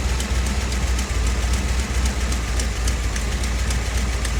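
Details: 1957 Chevy Bel Air with 454 big block from a motorhome replacing a blown 396, old 396 racing cam, new intake and distributor: deep steady idle burble with even lumpy cam lope, no knocks or misses; normal idle.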